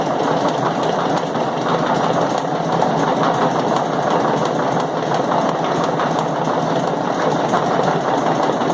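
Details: Chain mechanism (LOBC, 18 Feb 2016), chain thought to take about one minute per revolution: steady mechanical running with dense, irregular knocks and clatter, especially loud knocks recurring periodically; source of the periodic knocking unknown.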